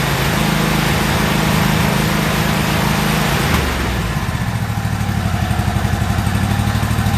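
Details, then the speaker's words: About a year old commercial Toro zero-turn mower, twin engine, with new spark plugs: lumpy, uneven running that steadies somewhat but still falters, even with the choke pulled out slightly for extra fuel; cause not pinned down. "what I was doing there is pulling the choke out just a little bit just to see if a little extra fuel to help it smooth out it did make a difference"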